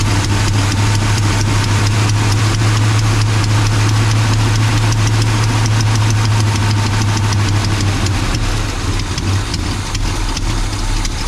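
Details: 1984 Chevy C20 truck V8 revived after years in storage, distributor swapped, no exhaust manifolds fitted: steady, even deep smooth rumble, no knocks or misses. Normal idle.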